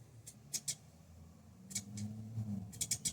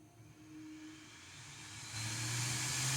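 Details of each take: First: Bambu Lab A1 3D printer at print start: low motor hum broken by clusters of sharp high chirping squeaks from the hotend fan; abnormal fan noise, fixed by disassembly and maintenance. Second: Bambu Lab A1 3D printer after maintenance for a strange fan noise when starting prints: fan spins up with a smooth rising whir and steady hiss, no scraping or ticking; noise gone, running normally.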